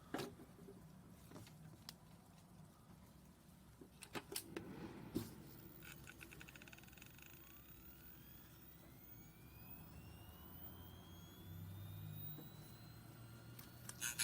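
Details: Faulty Hitachi Ultrastar 500GB hard drive (July 2009) at spin-up, motor damaged, possibly in shipping, platter seemingly tilted and rubbing: sharp knocks then rising whine with rough scraping, about one knock per four scrapes; suspected platter scraping.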